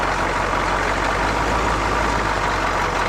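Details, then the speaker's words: GM 6.2/6.5 diesel (CUCV), warmed up with the fast idle solenoid now released. Smooth, steady idle; the earlier rattle is gone, and the engine did not die. "fast idle is off engine smooth as can be that rattle is gone but it didn't die"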